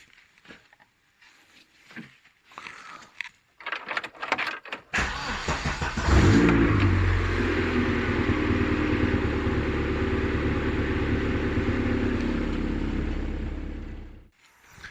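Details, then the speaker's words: Vauxhall Nova SR with 2.0 C20LET Redtop turbo conversion, started right after fresh oil and filter change (oil at max): starter catches quickly, smooth even idle, then shut off; no oil leaks, running spot on. "plug gaps are obviously sorted all that kind of stuff looks good it's running spot on"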